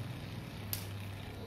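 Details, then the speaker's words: Repaired mini rechargeable fan motor running with a steady low hum and a single brief click; noisy because it was mounted roughly; polarity was also soldered reversed. "Jadi suaranya agak berisik karena kita memasangnya dengan cara yang sangat kasar tadi."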